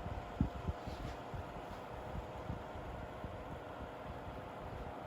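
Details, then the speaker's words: New-old-stock Seabreeze Cool Sweep fan (120 VAC, 60 Hz) on low speed after its first startup, which sounded a bit unhealthy, possibly needing break-in. Soft, steady hum with a faint even whir, no rattle; normal low-speed running. "so let's go ahead and start it up on low speed that startup didn't sound too healthy but that might be the motor just needing to break in a little bit okay wow that is quiet"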